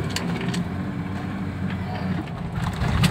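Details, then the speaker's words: 2000 Nissan Patrol TH diesel after carbon-clean tuning, AC on, previously droning and sluggish with black smoke: low even idle rumble with no droning or surging; RPM now stable and healthy. "Biasanya besar suaranya itu kok. Kaungian. Iya, ini kan langsung datar tuh lah suaranya."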